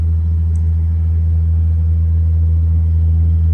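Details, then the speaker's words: Furnace/air-conditioning blower motor humming since late June: loud steady low hum, no pitch change, various abnormal sounds; technician diagnosed failing blower motor. "It's the blower motor, and it's humming, and it does make various sounds, all of which are not normal."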